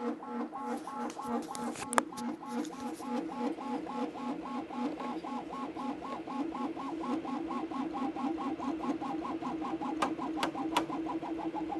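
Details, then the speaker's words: Anycubic Kobra 2 3D printer printing at top speed: pulsing tuneful honk repeating with each fast back-and-forth move over steady motor hum; resonance at high speed, source unclear. "this print is definitely showcasing the top speeds that this printer can achieve which are quite impressive what would be a little more impressive as if it wasn't making this strange honking noise"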